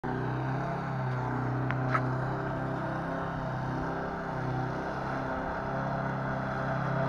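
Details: Lawn mower after repair: small engine holds a steady, even drone at constant speed with no knocks or misses; runs healthy.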